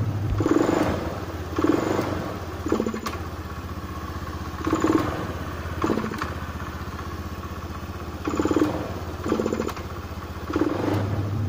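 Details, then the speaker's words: Honda Beat FI scooter, fuel pressure deliberately dropped below 30 PSI to simulate weak fuel pump: repeated throttle blips rise sluggishly and stutter before picking up, then return to idle; fuel starvation hesitation, responsive again at 40 PSI. "seperti telat bensin ya dan kayak merebet gitu"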